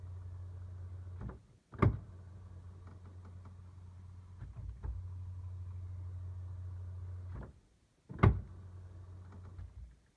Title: Strange Noise Booting Dbox